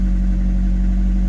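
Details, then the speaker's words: Rover 25 GTI, 1.8L VVC petrol engine: after starting, the revs sit high at a steady fast idle with a firm low drone that never drops back; owner suspects a failed throttle position sensor (also rough idle, over-fueling, white smoke; HGF or IACV questioned). "Let's start the car up. Right. See what's going on with this then. Right, here we go. Now the revs are sitting high like this, which I'm guessing means"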